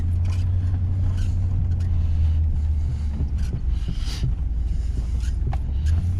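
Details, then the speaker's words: GM LS V8 truck after installing exhaust manifold leak repair brackets and refitting the number seven plug wire that had caused a miss: a steady, deep idle with an even burble and no ticking at the manifold; healthy. "oh it sounds so good well I'll tell you what guys that is a cheap easy fix"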